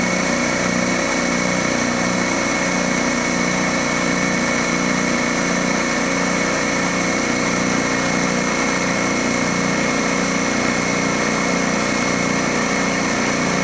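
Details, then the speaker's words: DeWalt D55146 air compressor with a failing check valve (needle) letting tank air bleed back: steady motor drone and fast pump chatter, pressure drops from just over 200 PSI to about 140–160 where it kicks on again; rapid on-off cycling, check valve to be replaced. "as you can see it's going back down and it's going to kick on again about 160 or so and that's again because that check valve is letting the air by"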